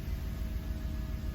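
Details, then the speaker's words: 2006 Cadillac DTS with Northstar engine, after replacing coil and spark plug number 5 for code P0305: a quiet, steady idle just after start-up with no stumble; sounds normal, and the earlier pedal shake on cranking is gone. "It sounds normal."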